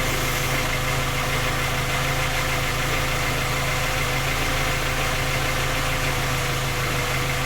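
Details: Skoda Octavia A5 facelift 1.6 MPI, engine knocking when cold despite three engine repairs that did not find the fault: steady idle with fast, even tapping under the engine note; persistent knock, source not identified.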